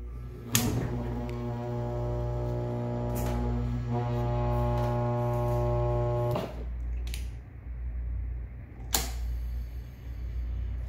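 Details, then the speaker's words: Single-phase electric appliance motor bench test: sharp click brings in a steady humming drone, another click cuts it, more clicks as it slows; centrifugal start switch clicking in and out, making and breaking the start circuit. "you hear this a typical switch click back in until it shoots out when a spinning clicks back in completing that circuit again whenever it clicks out it breaks that circuit"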